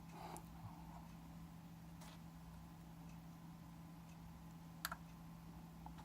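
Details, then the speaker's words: Mercedes SL600 EGAS electronic throttle actuator module on a bench test setup, with badly deteriorated throttle wiring. Only a faint single click over a low steady hum, no motor whir follows: the actuator tries to activate but fails, faulty. "one more time there so there we had that faint click okay so something wanted to work something try to activate what obviously"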